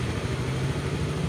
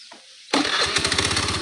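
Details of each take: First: Honda Beat FI scooter idling: low idle keeps rising and sagging by itself instead of holding steady; also stumbles at low speed especially in rain and cold but fine at high speed; traced to a failing O2 sensor. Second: Honda Beat FI scooter, low-speed road test: starts first try, steady even low-speed putter with no stumbling or RPM drop; earlier it stumbled at low speed, especially in rain.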